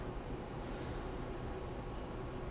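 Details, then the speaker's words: Kaabo Wolf Warrior X scooter hub motor test-run after tracing Error 10 to broken cables, checked with test cables and test display; error cleared, even low steady hum without clicks or grinding, though owner suspects a slight rotor problem. "there you go. No more error 10. Motor sounds good."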